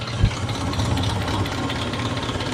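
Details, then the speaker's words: Toyota Kijang Kapsul petrol engine idling after warming up several minutes, before an engine flush: fast, light kletek tapping from the top of the engine persists, from the valves' hydraulic lash adjusters. "itu ada berapa menit lah ini harusnya klepnya ini nggak bunyi kletek kletek kletek lagi nah kalau sekarang masih bunyi nih ya udah"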